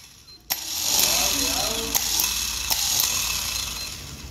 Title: bad starter